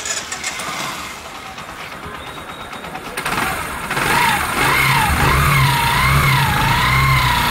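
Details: Used Bajaj Discover 100 motorcycle that makes a knocking sound on throttle and overheats: quick, regular knocking clatter at startup and idle; tappet cover opened, found very tight and hot; worn loose timing chain with overtight tensioner suspected.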